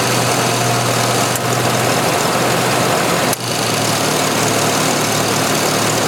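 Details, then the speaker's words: 1986 Jeep XJ 2.5L, cold, after an idle speed control motor repair (new rear bushing): steady low idle dips twice and bogs when the air conditioning is switched on; cause not yet known. "let me restart it and then I'm going to turn on the air conditioner and you'll hear it bog"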